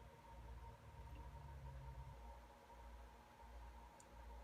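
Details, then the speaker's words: Mesa Boogie Dual Rectifier guitar amp, bought broken, powered up slowly at 40 volts and 26 watts, bias switch set to EL34, low-voltage section only: quiet hum, then soft clicks as the switching relay energizes normally. "those clickings that you hear that's the relay starting to come alive"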